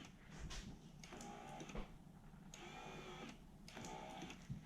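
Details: Toyota Surf/Hilux electric 4x4 engagement actuator for VF1A/VF2A transfer case, serviced: three short bursts of small motor whirring, starting and stopping cleanly without grinding or labouring, so normal actuator operation.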